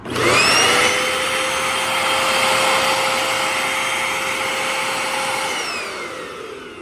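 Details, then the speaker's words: Eureka Powerline 4773 bagless vacuum on a temporary patched-in cord with a worn belt, before service: a steady high motor whine with airflow hiss at even pitch, then winding down at switch-off. The motor sounds healthy. "Motor sounds good, so we might as well fix it and send it on its way."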